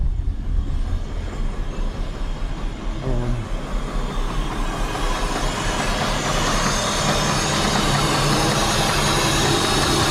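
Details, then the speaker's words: Holden VT Calais with L67 engine, run after sitting 4 years, head gasket stop leak previously added; idling very low, lumpy and stumbling, rough ragged rev when blipped; running very rough, owner suspects the head is bad, not confirmed. "so it's uh running very rough i'll look for that i don't think the head's going to be very good but i'll do some more investigating and see what i find out"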